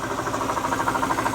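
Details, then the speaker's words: Mercedes SL500 ABC tandem pump, still working as power steering after driving Florida to Ohio: rapid even knocking about ten times a second over the running engine, pump no good; replaced with standard power steering pump. "Making a lot of noise, a lot of knocking, so that pump is no good."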